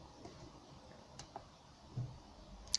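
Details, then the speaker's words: Relay on a 2019 Suzuki Jimny T-Max dual-battery split-charge system gives a few soft, dry clicks about a second apart as the manually linked batteries (both 12.4 V) disconnect automatically; normal relay switching clicks. "After a while it'll just disconnect. So if I click again, then it's just linked automatically."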